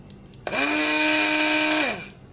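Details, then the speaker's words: Rechargeable portable juicer blender after repair of faulty on/off switch: short burst of steady high motor whine that spins up fast, holds even pitch and winds down smoothly; now working. "हम इसको cut कर दो है तो यह machine हमारी okay हो चुके हैं"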